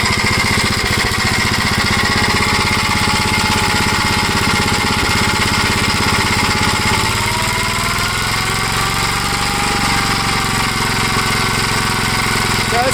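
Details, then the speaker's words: 1956 Gravely L single-cylinder engine idles low and steady with an occasional sharp pop, after the governor was removed and the carburetor readjusted; cause not yet found. "not too bad pops once in a while I can live with that"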